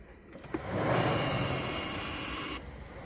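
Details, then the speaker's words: 2007 Toyota RAV4 with crank no start, rough running and stalling; shaking a loose transmission-side ECU connector with broken clip: radiator fan whirs up suddenly, changes speed louder, holds, then cuts off; intermittent fan activation from loose connector. "so that's what it was doing so you hear the fan speed change and get louder"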